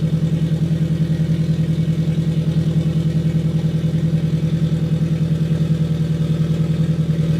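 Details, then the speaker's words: Custom turbocharged Scion FR-S, already warmed up, started and revved after an exhaust pipe gasket leak was fixed: deep, even exhaust throb with a regular pulse and no leak ticking or puffing, running healthy. "all right so we fixed a little bit of an issue that we had um fire it up again rev it up a little"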